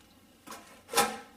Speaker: see hear that noise that grinding that's where that uh sands in them barons and i tried to clean it out took it apart cleaned it out took the part cleaned out put some wd-40 in there